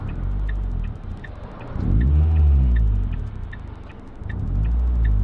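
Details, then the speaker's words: Ford Fiesta ST150, warmed up, after fixing a split PCV hose behind the intake manifold that caused a sticky idle around 1,000–1,500 rpm: two revs drop cleanly back to steady idle with no hang or surge. "every single time I Rev comes back to our door where it should be feels like a different car to drive"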